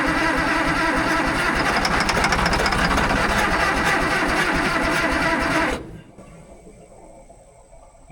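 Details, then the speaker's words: Fiat-Allis 645B loader diesel, started with ether: rough, uneven chuffing as it catches for several seconds then dies; running only on ether, apparently not picking up any diesel. Engine fires briefly but will not keep running. "it tried to go on the ether. Doesn't seem real happy, though. Oh, so close. I let out of it too soon."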